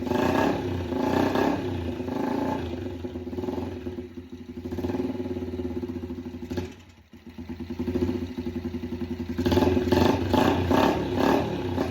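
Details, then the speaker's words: Yamaha TTR 90 after top-end rebuild, airbox off, idle raised, trying choke on then off: revs rise and sag unevenly, almost dying mid-clip before recovering. It won't idle, later liking more fuel via the air-fuel screw. "Choke on. Doesn't want to idle. Doesn't want to. Let's try to choke off. It doesn't like the gas."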